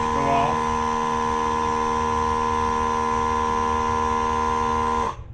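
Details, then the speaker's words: Dive Buddy hookah diving system compressor, battery at 94% after 10–15 minutes' use, switching on after air is let out: a steady electric motor hum at even pitch for about five seconds, then a clean cutoff; normal recharge. "I'm gonna let the air out of this guy, and you'll hear it come on. And that's how loud it is."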